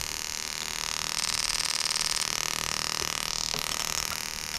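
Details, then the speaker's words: Bench test of a 1995-96 LS400 1UZ-FE to IS200 plug-and-play harness, firing each injector in turn on a crank signal: steady, light ticking about three per second over a faint hiss; the injector is working normally. "So as we go around, injector number 1, you should hear the operation of the injector itself."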